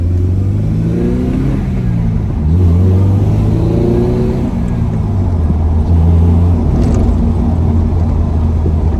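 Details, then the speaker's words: Acura RSX with swapped K24 engine and the Mugen exhaust that came with the car, first-gear pull with sunroof down: clean, steady pull, note rising smoothly through the gears, no misses or knocks; sounds strong and healthy, not running hot; normal acceleration. "Like, it sounds strong and healthy. Car's not running hot, which is good."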